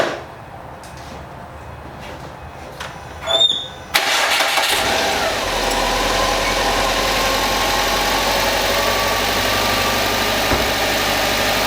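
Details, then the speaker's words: 2011 Subaru WRX hatchback started after a Gates timing belt kit was installed without removing the radiator; the owner worried about the drive and AC belts, but after key clicks and starter whirr it settles to an even idle with no squeal or knock. "So I'm gonna start it up, and if I hear any weird noises, it's most likely that belt."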